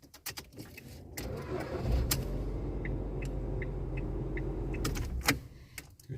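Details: 2008 Ford Fiesta Mk5 with an intermittent no-start, after replacing the ignition switch: key jingle, brief crank, then the engine catches cleanly into an even idle without hesitation.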